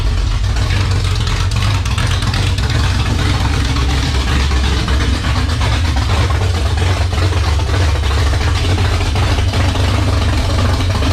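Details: 1978 Dodge Warlock truck, 360 small-block stroker idling on its first start with idle turned up: heavy, smooth V8 burble with a steady beat, no tapping or stumbling. Healthy, 75 psi oil pressure at idle.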